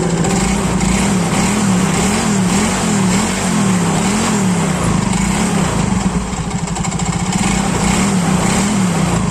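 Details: Yamaha Mio Soul GT scooter idling smoothly and evenly, with no misses, knocks or rattles, after a no-start caused by sitting unused for several days was traced to the spark plug.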